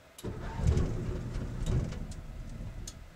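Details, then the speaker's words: Bus generator, carburetor cleaned and not run for a while: a low chugging turnover that labours on and off without catching cleanly; hard starting with extended cranking. "uhoh it's been a while since we ran it too"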